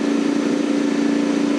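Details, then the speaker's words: Single-stage snow blower running on two-year-old gas, first start of the season after five primer pumps, idling on its governor: smooth, even governed hum with no misses or knocks; running better than it usually does. "it works it's doing the thing it's running it's running better than it usually d"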